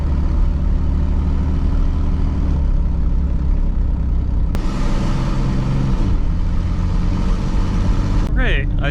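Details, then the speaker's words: 2002 Chevy Blazer, 4.3L V6 Vortec, driven with both O2 sensors removed. There is a very loud, raw exhaust roar rising with throttle. It drives well this way, showing the catalytic converters are clogged. "So, yeah, I got my O2 sensors pulled out. Take it for a little drive. It's going to sound crazy. Oh, that sounds wild."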